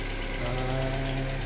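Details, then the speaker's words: Chevrolet Aveo that would not start, now running after the fuel pump assembly was repaired: steady low idle with an even, regular beat, no misses or surging; normal idle. "umandar po yung gas na-repair po namin yung fuel pump assembly"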